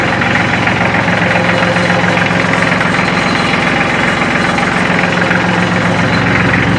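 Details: Kubota L3400 tractor diesel, hard-used, still warm so no glow plugs needed: steady idle with even, regular clatter and no stumbling; engine sounds healthy, far better than the day before.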